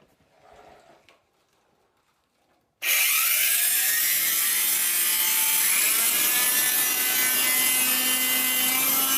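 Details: 1970s blue Regina Electrikbroom 3-speed vacuum while vacuuming a floor: the motor spins up into a harsh, scratchy whir with rough grinding; the motor bearings and especially the fan are dry after someone washed it.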